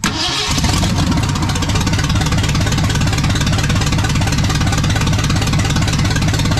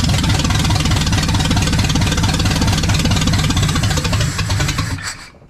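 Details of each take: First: Restored 1979 Ford F100 with a brand new engine on first fire: the starter whirs briefly, then the V8 catches and holds a steady, slightly lumpy idle; possibly short of gas. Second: Restored 1979 Ford F100 with a brand new engine on first fire: deep, even V8 rumble with a steady firing beat for five seconds, then it sags and quits as fuel runs out; the engine itself sounds healthy.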